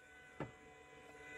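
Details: 2006 Ford Escape Hybrid that sat two months and starts for about three seconds, then shuts down with a code: relay click, then a faint steady whir of even pitch as the inverter coolant pump runs normally, now switched through the ignition breaker.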